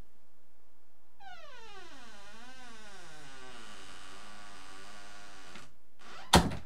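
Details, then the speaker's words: Rusty bathroom door hinges, squeak returns weeks after WD-40, oil or lithium grease: long wavering creak as the door swings, ending with a soft thud as it closes, squeaky hinges before replacement. "especially in the middle of the night when you have three kids and you're trying not to wake them up and you're trying to be quiet"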